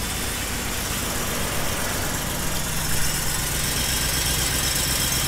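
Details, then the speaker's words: Ford F150 Shelby V8 with newly installed long-tube headers, after fitting a V-band clamp to fix the header exhaust leak: deep, even idle with no ticking or puffing; leak appears fixed. "it appears that the exhaust leak is fixed"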